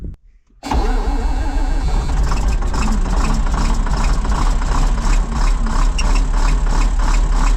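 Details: Combine diesel cranks and catches, then settles into a fast idle with a sharp rhythmic puffing chuff on restart after reassembly and an O-ring swap; exhaust leaking.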